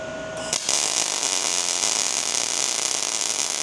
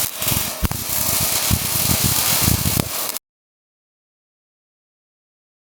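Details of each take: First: MIG welding arc with a smooth, even frying crackle: voltage correctly matched to wire speed, versus a sharp sputter when voltage is too high and slow popping when too low. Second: Slow pling machine struggling.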